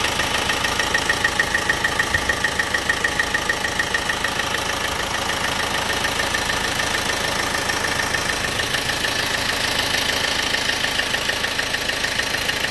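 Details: Opel/Vauxhall 1.6 CDTi diesel at idle: sharp, very regular ticks about three per second over steady idle, apparently top end; cause not yet identified.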